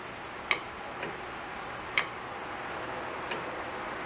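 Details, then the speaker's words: Honda Civic EP3 AC compressor, replacement clutch kit fitted with two shims on the bench, gap visible: 12 volts applied, sharp single clicks a second or so apart as the clutch pulls in cleanly; engages properly. "now i put 12 volts to it clicks on"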